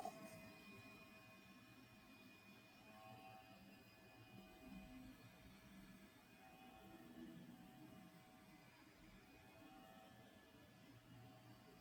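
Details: DJI RC 2 controller (DJI Mini 4 Pro set, under 30 flight hours, never dropped): internal cooling fan at low RPM, volume boosted +20 dB; faint hum with thin whine and irregular rattling buzz, worse when tilted.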